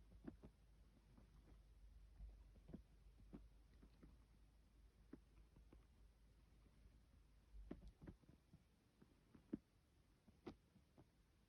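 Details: Vaillant ecoFIT pure 825 gas combination boiler: quiet low hum with scattered ticks and short bursts of deep throbbing.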